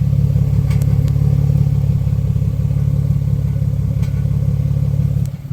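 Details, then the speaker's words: Nissan Xterra during a cold start: loud low puffing idle with rapid, slightly uneven chuffing at about three beats a second; air can be felt escaping near the muffler, an exhaust leak that a new pipe should fix. "so the noise is coming from these booger Wells right over here so I can definitely feel the air from there"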